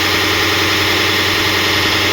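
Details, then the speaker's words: HP 1020 printer: a loud, steady grinding rasp as soon as it powers on. Slipping gears found inside. "ये gear slip हो रहे हैं।"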